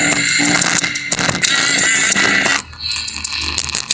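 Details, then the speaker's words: Asus X441U notebook speaker test: test music comes out thin, tinny and crackly, rattling on louder notes; both small internal speakers are blown and distorting, found during a full pre-repair check alongside LCD and keyboard faults. "Wah, dua-duanya pecah guys suaranya guys. Oke guys, untuk di bagian speakernya juga ternyata nggak aman ya teman-teman."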